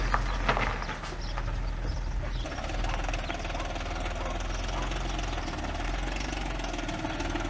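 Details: Audi A8 D3 engine, earlier rebuilt after bent valves and broken tensioners: at idle a hard, diesel-like clatter rides over the engine note, staying busy and fast; sounds like timing chain slap from a stuck tensioner.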